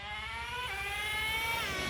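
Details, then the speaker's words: Traxxas T-Maxx 2.5 nitro RC engine with newly fitted Losi 3.4 carburetor, warmed up and running rich: high buzzing idle dips briefly then climbs back; idle always sits high no matter the tuning, with little bottom end. "so one of the main things that i don't like about this carburetor is idle the idle is like always high"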